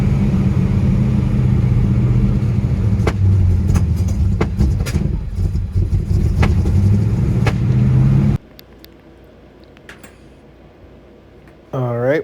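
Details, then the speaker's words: Holley carburettor engine before cleaning and rebuild: uneven, lumpy running with irregular pops and stumbles over a low drone, rough running from a dirty carburettor. "so here's what your carburetor may sound like if your car is running poorly because of a dirty"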